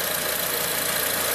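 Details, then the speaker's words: 2007 Acura RDX, 2.3L turbo four-cylinder, 210k miles, code P2263, idling and given a little gas. Fast, bright metallic chatter over the idle; a large gap between the shaft and actuator linkage, likely the wastegate actuator rod, is suspected as the rattle. "i can see one linkage right there i mean there's quite the gap between the shaft and the actuator i don't know if that's an issue"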